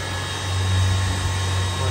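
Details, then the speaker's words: Lathe with serviced motor, fed three-phase from a rotary motor-generator setup, running: steady, even low hum with no knocks, rattles or bearing noise; declared perfect, no noise, motor fully overhauled. "perfeito não tem barulho motor revisadinho inteiro"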